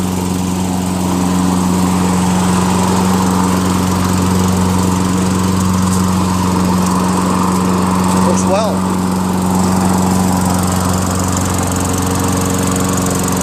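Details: Toro Recycler 22" self-propelled mower, 6.5 HP Tecumseh engine, after clearing a hydrolock (oil in combustion chamber) and carb clean with new needle, float, gasket, bowl and fresh gas: steady even drone at constant speed, no surging or sputter; running cleanly.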